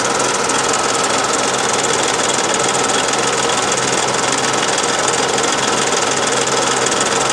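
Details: Daihatsu Charade '85 engine at steady speed with rapid metallic ticking at roughly three to four beats a second; engine knocking noise, cause not evident.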